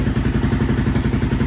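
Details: Honda TRX700 with Vortex ECU after map adjustments and water found in the airbox: low, lumpy pulsing beat with uneven thumps as it revs; better but still rough, owner suspects flooding, rich on the bottom end; cam unverified.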